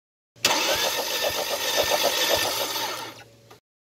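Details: Ford Mondeo 2.0 cranking during compression test; car smokes, lacks power, coolant bottle boils after running: starter cranks steadily with uneven beats, one stroke lighter; compression low on cylinder 2, head to be removed.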